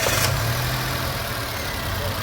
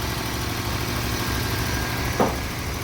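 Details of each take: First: Nissan Micra three-cylinder petrol, which had been misfiring, idling high at 1100–1200 rpm and using too much fuel, after replacing the faulty ignition coil on cylinder 1: a steady, even idle with no misfire. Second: Nissan Micra idling rough and lumpy at 1100–1200 rpm with check engine light on, stumbling deep pulse; scan shows cylinder 3 and cylinder 1 misfire, also high fuel consumption.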